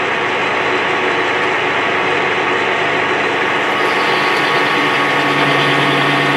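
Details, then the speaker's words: Lathe turning a Holden Commodore V8 diff axle shaft after new wheel bearings wouldn't let it fit: steady machining noise picks up a faint ringing buzz partway through the cut; tool chatter, moderately hard material with blue chips. "Got a bit of chatter that you can hear."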